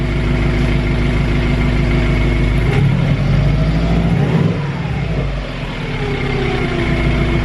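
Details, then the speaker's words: Subaru Impreza GC8 after choke turns off: smooth, even idle with a brief rise and fall in revs, purring nicely and revs returning to normal after a boost actuator fix. "Right, so the choke has turned off and it is purring nicely."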